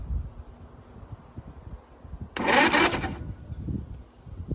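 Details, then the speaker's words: 1941 Oliver 70 tractor, engine previously stuck, 6-volt starter run on 12 volts: brief harsh fast whirring burst of about a second as starter spins engine hard; starter cranking fast on overvoltage. "don't know why I jumped so much yeah she's sprays so well it spins over I guess yeah"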